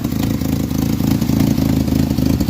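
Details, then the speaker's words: 1986 Jeep Comanche 2.5L four-cylinder, 4-speed 4WD, which had been misfiring when cold, suspected on cylinder 2: now idles with a steady, even low thrum, running smoother; normal idle. "okay I guess that does sound a little better oh yeah she's way happier now"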